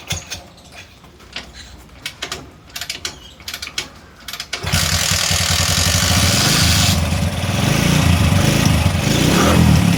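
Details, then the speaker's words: 20-year-old Bajaj CT 100 single after spark plug cleaned and set: a few kick-start clatters, then it catches at once into a steady, even beat; starting problem fixed. "അപ്പോൊ നമ്മുടെ വണ്ടിയുടെ starting പക്കാ perfect ആയിട്ടുണ്ട്."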